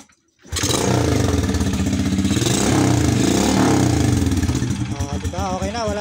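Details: Honda XRM motorcycle that misfired and charged weakly, test start after rewiring with a jumper wire to the battery during a full-wave rectifier/regulator swap: engine catches, settles to a steady even beat rising slightly, no skips or stumbles; running clean, no misfire.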